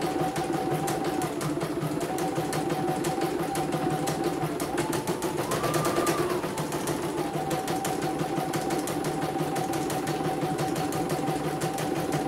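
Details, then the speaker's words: CNY embroidery machine (M21 label) sent in fully jammed with heavy rotation; final test, cover closed: fast, even needle clatter with constant hum, briefly speeding up then settling, smooth, ready to ship. "Oke, tidak ada kendala ya. Saya nyatain ini. Oke. Sudah halus, tidak ada kendala. Jadi siap dikirim ya."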